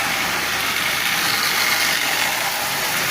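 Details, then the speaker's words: Marx 898 toy locomotive, long stored, cleaned, lubed and tuned, pulling 23 cars at 40% power: steady harsh hissy whirring from the drive under load; worn intermediate gear, may quiet as it runs. "but it is running forward and reverse it's actually running quite well it's noisy yes it has lots of power considering its coins 23 chemical cars at 40% power you really can't beat that"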